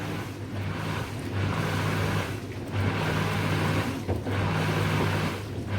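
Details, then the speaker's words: Lift (sewage) pump running at full effort in slow surges, low steady hum, while two washing machines drain at the same time; pump works in bursts, fine in a basement but noisy beside a bedroom; normal operation under load. "Donc le bruit au début, il était assez important. La pompe, elle a fonctionné vraiment à fond."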